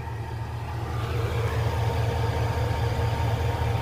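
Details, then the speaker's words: Truck started after nearly a year without cranking, on about year-old gas: a steady, even low rumble with a regular beat and no knocks or ticks; no water or oil leaks seen. Normal, healthy idle. "I'm pretty sure it's almost a year old without even cranking it once damn she sounds nice"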